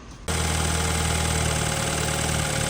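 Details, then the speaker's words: BMW 320i after repair, fault codes cleared, at idle: quick catch then smooth, steady low idle with no squeal, knock or tick; runs well without noise, normal idle. "É isso aí gurizada sem códigos de erro aí na BMW olha assim apagou todos os códigos ela tá bonita né funciona bem sem barulho"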